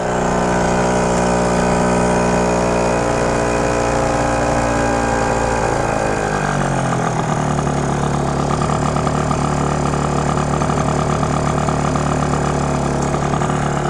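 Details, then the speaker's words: Malaguti Phantom F12 scooter, 70cc two-stroke with Stage6 MK2 kit and Yasuni C16 pipe: high buzzing revs sag and stumble to a rough, uneven idle; owner notes it won't idle well until warmed up, cooling toward 240–248°. "thing doesn't like to like idle until it's warmed up too that's what i've learned"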